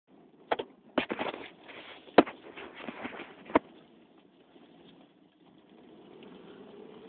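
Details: 1998 Plymouth Breeze, driver side: a handful of sharp, uneven clunks against faint road rumble; bearings, CV joints and axles checked fine, cause not found.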